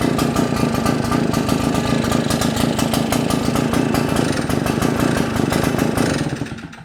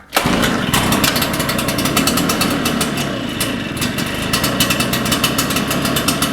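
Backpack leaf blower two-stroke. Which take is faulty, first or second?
first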